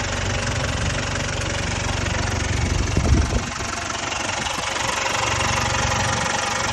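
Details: Jaguar XE 2.0L Ingenium diesel at idle: uneven clattering rattle about four a second over the low chug; stretched timing chains.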